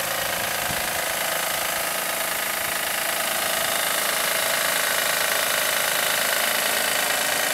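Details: 2007 Acura MDX engine at steady idle with an even tapping knock, roughly four per second, keeping time with the engine; owner suspects the belt tensioner again, which he replaces yearly; not confirmed.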